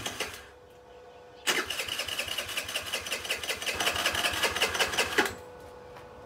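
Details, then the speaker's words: Chinese Geely 50cc scooter left sitting, starter button dead, throttle worked by hand: quiet, then it catches and runs with quick uneven popping about four seconds before dying; carburetor gummed up and must come off. "carburetors gonna have to come off and I can't believe it's kind of idle it's amazing"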